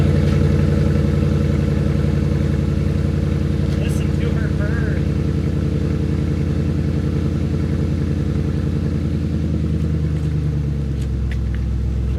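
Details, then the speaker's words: Wrecked 1999 Chevrolet Camaro Z28 with LS1 V8, just jump-started with a 6,000 amp car jumper while parked sideways: deep, even burble at steady idle, no misses, knocks or ticks; running healthy. "just got her started and she sounds amazing. I don't think she's happy being sideways though."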